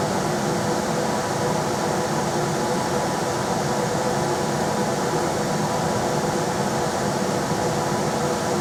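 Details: Rheem RBH residential air handler after its squeaking, non-serviceable blower motor was replaced with a 1030 rpm motor (old one 825 rpm): on high there is a steady, even rush of air with a smooth hum and no ticks, rubs or squeals. Normal blower operation.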